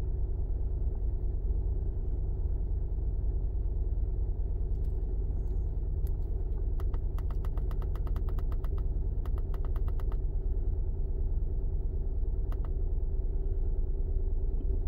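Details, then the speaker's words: 2011 Honda Pilot 3.5 with code P0302: low, uneven loping idle stumble, roughly three beats a second, as the cylinder 2 misfire counts keep climbing; a dead cylinder. "yeah cylinder number two is Miss firing see the counts keep climbing all right so it's a dead M"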